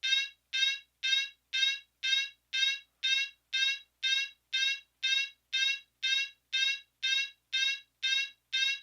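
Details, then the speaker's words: Fire alarm horn on whoop tone with march-time coding during a system test: short rising whoop bursts pulse about twice a second, evenly spaced with clean gaps; working properly. "all right and there was March time whoop so we're gonna go ahead and move on to the last one here in just a moment"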